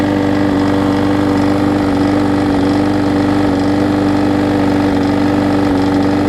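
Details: Husqvarna mower with aluminum deck and a transplanted single-cylinder engine, started with starter fluid on the old gummed-up carb before replacement. It holds a steady, even drone with no surging or dying, so it is running properly.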